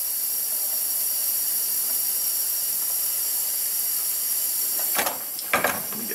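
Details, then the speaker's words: 2007 Honda Ridgeline 3.5, 79k miles, rough running and misfire with low cylinder contribution; cylinder pressurized with valves closed, listened at dipstick tube: constant high airy hiss, air leaking past the piston into the crankcase. "this should be straight in right that's just crank case gas isn't it"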